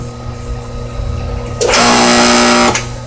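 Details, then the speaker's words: Hayward 1 HP pool pump motor that won't start: a loud, steady electrical hum with a buzzing edge and no spin-up, louder than it used to be. The start capacitor is suspected. "uh it used to be a little quieter than that but it's got a hum more than likely it's going to be right there that is your capacitor"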